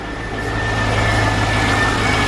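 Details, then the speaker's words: Corvette on a fairly cold start: steady idle with light fast ticking, typical valvetrain noise; owner suspects rod knock, lifter tick or belt noise, plus a separate noise at 2000-3000 rpm when warm. "so you can hear typical valve train noise if you listen then man car's here what's up that's the cold star"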